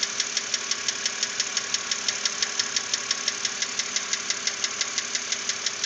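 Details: 2006 BMW Z4 3.0si at idle: a sharp, evenly spaced knock about three times a second over a quiet idle, steady throughout. It persisted after the lifters were replaced, and the cause is still unknown.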